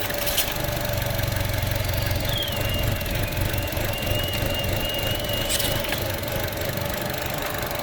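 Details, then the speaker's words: 2016 Chevrolet Trax idling after oil change, oil level good: constant low hum with a faint intermittent high squeal, possibly the noise the customer reported; source unclear. Humming noise at idle. "I hear what she's sounding. She sounds like a motherfucking, I don't know. She's humming."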